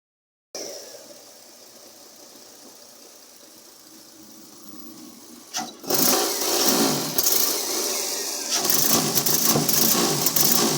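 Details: Toyota 2MZ petrol V6 idling with an uneven, stumbling beat, misfiring roughly twice a second.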